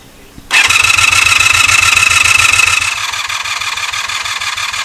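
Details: 1984 Honda VF500F Interceptor after carburetor work, fuel added: steady starter cranking, about three and a half turns per second with a thin whine, never firing; fuel pump later found to act as if not running.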